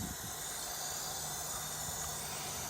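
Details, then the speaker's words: 2003 Mercedes CL55 (W215): operating the trunk brings a steady hiss of air but no latch release. Owner suspects a leak in the pneumatic trunk lock actuator. "Now, me opening this trunk is supposed to unlock this joint. I hear a lot of hissing,"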